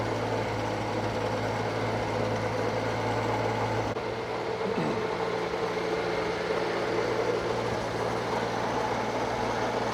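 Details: Circa-1952 Austin 6-cylinder petrol truck just revived after possibly 20 years standing: steady, even low idle without ticking or misfire; normal idle, owner unsure of a slight miss, hears no burnt valve, found a lead pulled from the distributor cap.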